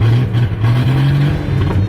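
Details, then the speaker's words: Jeep sputtering and stumbling under throttle on a test drive after a crankshaft position sensor replacement; deep engine note surges unevenly instead of revving cleanly, same issue as the day before, persisting after codes were cleared. Cause unknown. "guys hear how it sputtering just like that that was the same exact issue that I was experiencing yesterday"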